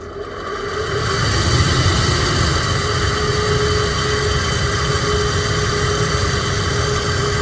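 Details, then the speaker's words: Chevy Suburban/GM truck blower motor, in passenger-side housing, making noise and performing poorly: steady rushing whir with faint hum, sluggish and rough on high, about half normal speed; worn motor replaced. "so let me show you how this thing sounds good it sounds awful it's probably it's been it's half as fast as it should normally was spinning it's going higher"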